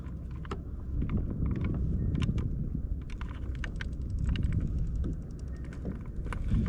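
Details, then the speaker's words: Fish finder head unit with a recurring transducer plug fault: irregular sharp ticks and crackles over a low rumble as the blackened center pin arcs intermittently, causing interference and a wrong temperature reading; wiggling the cord changes it. "you can hear the arcing or at least a ticking coming off that center pin into the head unit"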